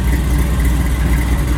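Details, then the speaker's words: Supercharged Cutlass V8 with quiet mufflers: deep, even rumble kept soft and muted, with no rasp or drone; healthy, mellow exhaust. "Super mellow for what it is. That's how you fool people right there, man. You put them quiet mufflers on there, they be like, can't be a little too much in there."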